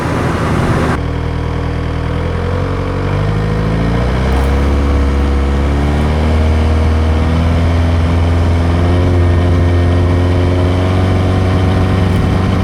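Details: 1986 VW Golf with swapped 1.9 TDI ALH, mechanical Bosch VE pump, Garrett T25 turbo: idling then revving with a wavering, slightly uneven beat; intermittent misfire at light/no load, worse in winter, cause unclear.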